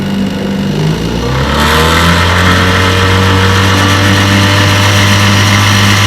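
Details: Restored 1958 5.5 hp Evinrude two-stroke outboard, warm, pushing a 14-foot John boat about 7 mph: revs climb briefly then settle into smooth, steady drone, no misses or knocks; healthy.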